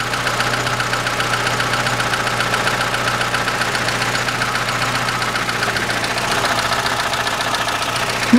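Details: 2006 Chevrolet Lanos, 1.5 petrol, manual, 342,000 km, after fitting a new FEBI rocker arm: light, quick ticking over a steady idle at several taps a second. A worn camshaft lobe still knocks the new rocker.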